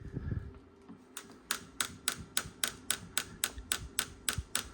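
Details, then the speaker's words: Salvage car door: sharp ticks about four a second from inside the door after opening; lock mechanism tapping, involving the handle's two bars to the locking and double-locking system; cause not yet found. "can you hear that tapping so what that is basically on this lock here this door handle you've got two bars that go to the locking mechanism"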